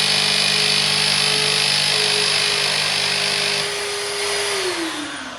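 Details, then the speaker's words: Carpet extractor used on a 2006 Vauxhall Corsa C 1.0 interior detail: steady high vacuum roar whose tone shifts and drops off, meaning the dirty-water tank is full and needs emptying. "As you can see, it's cleaning up lovely, but that noise you can hear on the machine means it's full, so I've got to empty it."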